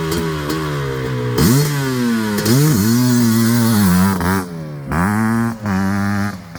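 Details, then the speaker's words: Suzuki LT500R Quadzilla 500cc two-stroke, FMF pipe, airbox lid off, 39mm PWK-style carb, warming up at only about 170°; lazy, burbly blips picking up cleanly; owners suspect slightly rich jetting when cold. "see now it's now it's starting to sound a little healthier it's starting to sound healthier it's trying to sound a little better now that it's warmed up yeah see where we're at it's only at 170. we might actually be rich"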